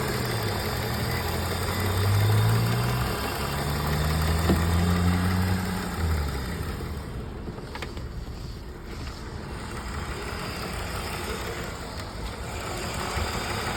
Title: Misfire parte 2